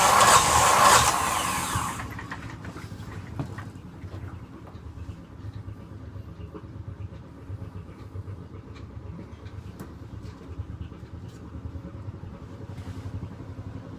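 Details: Yanmar SB12 marine diesel, cold day (about 41°F), after bleeding at the fuel injector: loud burst of cranking, then a faint, uneven stumbling run, fitting air still trapped in the fuel line.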